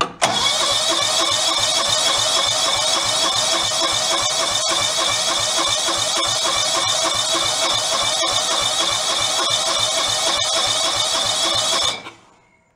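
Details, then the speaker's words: Free John Deere lawn tractor left sitting outdoors, water found in the gas tank: long steady cranking, about 3.5 turns a second, never catches; hard start and sputtering, owner suspects stuck carburetor or fuel pump diaphragms rather than fuel level. "I have been feeling when the diaphragms in a carburetor in the fuel pump got sunk I don't think it's the level of the fuel"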